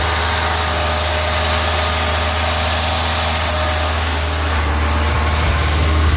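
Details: 1986 Ford Ranger 2.3L idling: uneven, lumpy, loping beat over steady engine drone; rough idle with misfire. Owner reports ongoing misfires despite replacing many parts, later thinks it's only slightly misfiring; cause not pinned down.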